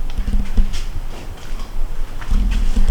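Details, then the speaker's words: 1980s Suzuki GS450A automatic, turning the key: two short bursts of free whirring with light clicks and no engine cranking. The starter is freewheeling on a failed starter clutch, to be replaced with one from the parts bike. "now you turn the key that's all you get so the starter is just free willing around the star a clutch"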